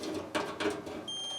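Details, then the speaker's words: Kirkland (Costco) Whirlpool dryer not heating, unplugged: multimeter probe clicks then a steady high continuity beep across an over-temperature limit switch; current passes, so the switch is functional. "so you hear the tone there it's a little harder to do okay long as power flows across them all when it's off that is to say cool they're functional"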